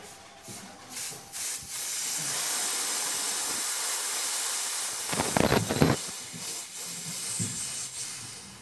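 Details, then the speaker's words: Two-door top-bottom fridge not cooling (lights on, fan turning, compressor running): steady sharp hiss from the broken-open service valve pipe at the back, only a little gas, showing low charge from a micro leak. "Kulkasnya tidak dingin karena tadi masih terdengar suara mendesis udara yang berasal dari pipa katup di sini. Itu berarti kerusakan pada kulkas ini disebabkan oleh kebocoran mikro."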